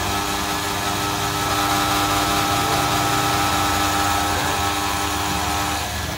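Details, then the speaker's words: Toyota Corolla Altis alternator on the bench after positive and negative diodes were replaced with round Toshiba diodes, 4-pin socket energised from positive; steady high-pitched whine over motor drone, gauge rising to almost 15 V: alternator charging normally. "Nah itu ya naik di angka hampir di 15 ya menandakan berarti alternator ini mengisi"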